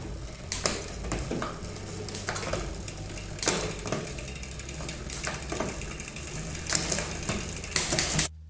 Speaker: can you hear that first you can hear clicking of the shifter and then that clutch exactly when the cage is opening up